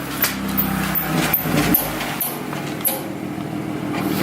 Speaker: It's making a gnarly sound, but we don't know what it is.